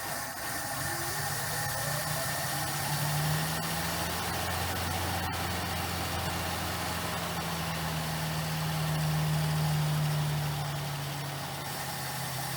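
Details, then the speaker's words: 1959 Plymouth Suburban wagon, long-stored barn find, just started after more gas was added. Soft, even low idle with a steady hum and no knocks or misses; the engine is so quiet it's hard to hear it run. "huh hey the dang tank ran let's see if we get the move that's so quiet i can't hear it run"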